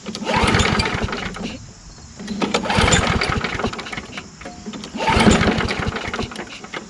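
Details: Small engine, just refueled and fitted with a spare gas cap: it catches and roars a few seconds, dies, fires again and fades, never holding a steady run. Carburetor problem suspected, not confirmed.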